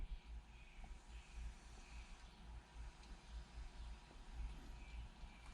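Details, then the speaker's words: Showa 49mm closed chamber fork from a 1997 Suzuki RM125/RM250, cartridge stroked during reassembly after bleeding: soft even whooshes about once a second, no gritty or crunchy air noise; properly bled cartridge. "So once it sounds like that and all you hear is kind of like a whooshing noise, that's good."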